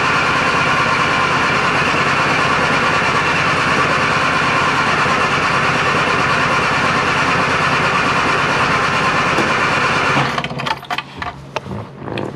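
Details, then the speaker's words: Classic Mini Clubman Estate, after briefly running then dying: the starter churns at an even rhythm for about ten seconds without catching, then stops, and cranking ends to avoid flooding. Extended cranking, no start; cause suspected, not confirmed. "no point cranking it's just gonna flood the uh flood the engine"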